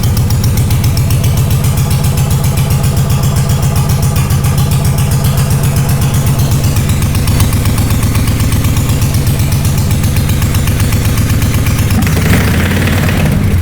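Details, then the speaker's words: Honda GL500 twin in a cafe racer build, first start in a long time after wiring loom work, choke pulled, old oil: steady, even low thumping idle with no knocks or misses; normal idle. "So I don't know if you can hear me, but that right there, that's amazing. This bike has not started in a long time."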